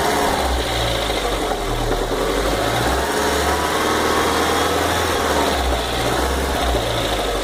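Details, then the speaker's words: VW Fox 2009/2010 engine, warm: light, quick ticking over the low hum at steady idle; noise disappears when cold and returns when hot; cause not evident, owner asking what it is. "Quando tá frio, desaparece. Quando tá quente, ele volta de novo esse barulho. Vejam bem o barulho desse motor."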